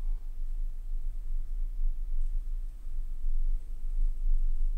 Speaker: ce qu'il ya de l'air qui circule tu vois on l'entend pas ça c'est très bien